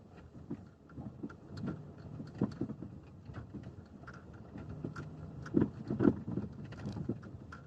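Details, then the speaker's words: Lada XRAY Cross driving slowly after a dealer visit about the electric power steering mount: irregular dull knocks, new since the dealer work. Cause found: the dealer did not replace the bolt on the splined steering shaft joint, which was loose. "и в итоге я обратно поехал и у меня появился новый сбу совершенно новый звук как я вам покажу вот таким звуком я приехал обратно ребята стало вот так слушайте вот так стал еду как черепаха долбит"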